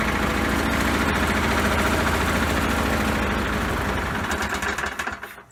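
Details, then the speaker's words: Poulan Pro mower that had been sitting, run with the wrong air box and no air filter: rough, uneven, lumpy beat about three times a second, hunting instead of holding speed, then dies; rough running because the throttle spring was missing. "okay guys so operator error I forgot to put on the throttle spring simple there's a little hole so bam and then damn now we should get some better results"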